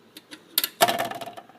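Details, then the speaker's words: Zenith console model MH2675 automatic record changer under restoration, cartridge needing replacement: short bursts of light clicks and a firm clack as the changer arm cycles, repeating play; changer cycle works, maybe not perfectly. "the automatic turntable functions seem to work oh it's gonna go play it again well maybe not perfectly"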